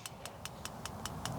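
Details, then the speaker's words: Pulse Equine PEMF system power test, cables plugged into the machine: crisp, even clicking in the coils about five per second over a low hum, showing the unit is working normally. "knob is off it's functioning clicking in the coils"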